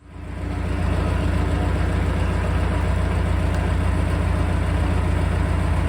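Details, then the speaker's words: International 2424 diesel loader tractor after re-ringing engine to cure smoking, fresh coolant, head refitted: steady low diesel idle with even firing pulses; improved, though slight smoke and tapping remain. "fired it up and it actually made an improvement here's what it looked like"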